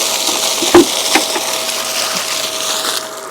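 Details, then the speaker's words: 1.5 hp jet pump for pasture irrigation, plugged in after pre-filter was opened: quiet motor hum with a couple of sharp clicks, then steady rushing water as it catches prime; clean, healthy start. "that was an excellent start low maintenance"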